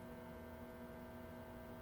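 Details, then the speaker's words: 1942 Zenith 7S685 radio-phono console record-player motor bench-tested at 90 then 110 volts: quiet, steady low hum, no scraping, rattling or speed wobble; motor spins smoothly, normal running. "at 90 volts now turning smooth as silk 110 volts isn't that sweet look at that thing wor away just look at it go man"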